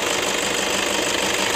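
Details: 2011 Toyota Fortuner 2KD 2500 cc diesel: rough engine sound at idle, a harsh rasp with a quick uneven flutter. Worn belt tensioner assy and idler bearings let the belt slap, since the tensioner spring has weakened; recorded before replacement.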